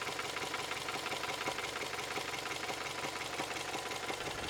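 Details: Toyota 3S-FE warm idle with a sharp metallic knock at about three per second. It appears only after warm-up, is intermittent, and there is no power loss; an engine rebuilder says it doesn't seem to be valves or bearings, so the source is unknown.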